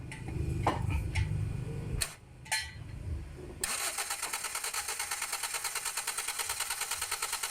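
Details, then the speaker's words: 2010 Toyota Vios after front collision with radiator and condenser replaced: starter spins engine with even chugging rhythm but it never catches, check engine light on; crank no start from failed camshaft position sensor. "Ayan mga boss ang nangyari dito ay cranking lang talaga at ayaw na mag-start engine"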